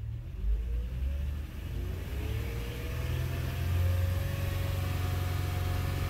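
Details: 2006 Honda Odyssey in drive with A, B, C solenoids on, throttle applied: engine revs freely with faint squeal rising with rpm, van not moving; automatic transmission not engaging, squeal suspected from clogged cooling-line filter, rebuild planned.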